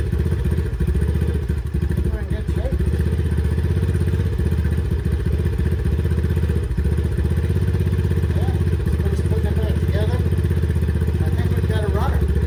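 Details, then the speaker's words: Approx. 2009 Eton Viper 70 four-stroke 70cc ATV, choke just turned off, battery needed for CDI circuit: low, even putter idling steadily with no knocks, misses or rattles; starts right up, runs normally. "But it runs, starts right up. That's perfect."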